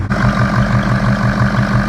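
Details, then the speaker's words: 2003 Ford 6.0 Powerstroke diesel after injector replacement: even, steady clatter at idle, no stumble or misfire, idling much smoother than before; slight belt chirp possibly from coolant on the belt; normal idle. "It's definitely idling a lot smoother than what it was before."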